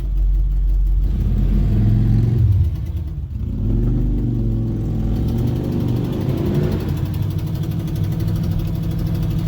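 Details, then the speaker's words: 1972 Chevrolet Nova SS clone with a new built 355 crate V8 at about 4,000 miles: deep rumble and revs with a sharp puffing tick on each firing pulse from an exhaust header leak; the engine itself is otherwise sound. "That last bit, you can really hear that exhaust header leak. I know it sounds really bad, but just know that it's not anything wrong with the engine other than that exhaust leak."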